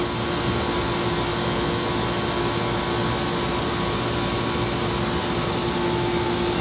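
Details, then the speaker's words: Very noisy Nordyne air conditioner with a Copeland reciprocating compressor that is going out: loud steady hum with a coarse rumble underneath and a droning fan, rough unhealthy compressor running noise. "Now just listen to that compressor. That compressor did not sound great."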